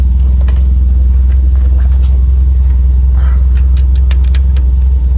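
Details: 1995 Toyota Celica GT4 after new brakes and fuel leak fix, steady even low rumble at idle with no misses, knocks or ticks; starts and runs cleanly, no leaks.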